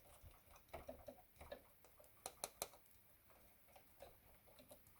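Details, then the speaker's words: Casio CTK-3500 keyboard after fixing key clicking by putting tape over the button the keys contact: soft muffled key taps in a quiet room, with no sharp click as each key lands. "there are no more clicking noises so just put some tape there"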